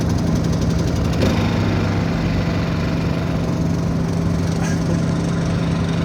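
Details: Honda EU2000i generator running on choke: steady low drone with slightly uneven firing. It won't run off choke and shuts off after about 15–20 minutes.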